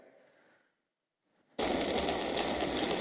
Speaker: this is what peter talked about before this is cavitation this sparkling like you're frying a pan with bacon this is the bubbles collapsing creating these sparks of noise which can be very loud